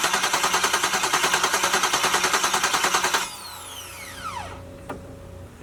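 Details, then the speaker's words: LS-swapped Jaguar XJ-S on first start attempt, no headers, fresh oil, run to check oil pressure. Even, quick starter pulses for about three seconds without firing. Normal cranking with a healthy starter. "we'll do a little bit of cranking i guess and then we can check the oil again"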